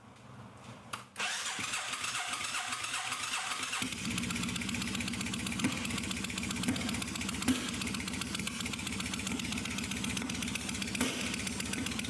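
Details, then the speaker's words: 1996 Suzuki Intruder 1400, long unused and hard starting, started cold on choke with clutch pulled after priming: cranks into lumpy idle with sharp exhaust pops; cold-start backfiring that eases once warmed. "my bike will pop and backfire for a while it will stop doing this quite as much after warmed up a little"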